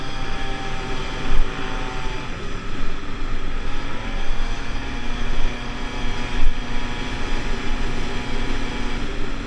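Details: Pulse Force 50cc two-stroke road test after fuel-starvation fix, GoPro on bike, 14-stone rider. High whine climbing smoothly through revs over wind and road rumble, no hesitation or misfire; normal under load.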